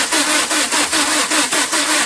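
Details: 2008 Vauxhall Combo diesel common rail, no fault codes, fuel pressure reading 0 kPa while cranking, scan tool losing comms with PCM: steady starter cranking about five beats a second that never fires; cranks but won't start.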